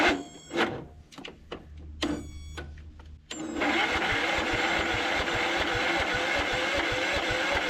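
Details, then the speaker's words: Cub Cadet LT1045 riding mower, non-running: a few stuttering crank attempts, then it catches and runs on starter fluid, showing spark and compression are fine; fuel delivery fault suspected. "we don't need it to uh throw some starter fluid in there just making sure y'all can see and this will tell us if we've got sparking compression really quick"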